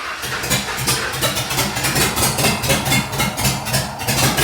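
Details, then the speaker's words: 1948 Ford F1 pickup with a swapped Fox Body Mustang V8 on open headers and no wideband yet, running a boosted-truck tune that doesn't suit the cam: a loud, lumpy idle with uneven pulses rising and sagging; it runs rich. "Yeah, this tune is for Oh my gosh. a boosted truck, so it's like dumping fuel in there. It's not tuned for the cam that's in it."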